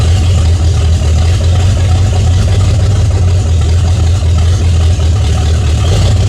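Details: 1978 Chevy Nova V8 restarted, oil found nearly empty: loud, deep, even rumble holding steady speed with no knocks or ticks; engine healthy, still making 50 psi oil pressure.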